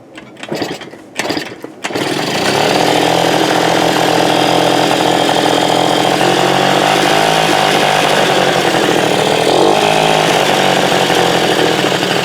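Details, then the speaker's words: 1980 Suzuki FZ50 two-stroke moped after fixing fuel leaks (bunched seal, fuel shutoff, carburetor screws torqued): a few kicks, then starts easily and settles into a steady crisp buzzing idle with no misses; normal start and idle. "See how easy it starts though?"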